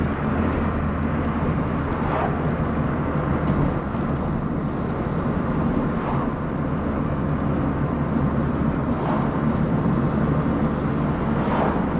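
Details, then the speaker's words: Old VW Polo Coupe on its first test drive after engine reassembly, recorded on a GoPro. Steady, even engine note pulling cleanly under acceleration with road and wind noise; no knocks or misses, healthy. "don't get me wrong you know it's not it's not a blitz of power it's only an old polar at the end of the day but the sound is just so addictive and the driving feel"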